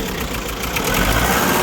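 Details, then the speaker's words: Diesel Kia engine with chuffing noise, idling: rough uneven beat with irregular stumble; head gasket appears burnt between two cylinders, valve or hydraulic lifter also suspected. Misfire, possibly from burnt head gasket. "çalıştır arabayı arabada tekleme var arkadaşlar"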